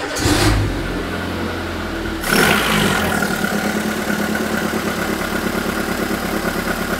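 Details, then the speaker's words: Renault Twingo engine restarted after fixing low compression on cylinder 4 (all now about 13.5–14 bar), plugs cleaned and gapped to 0.9 mm; still cold, it settles to a slightly uneven, lumpy, wavering idle with some fuel smell, not yet running clean. "c'est limite là on sent que ça tourne mais bon c'est c'est pas encore ça"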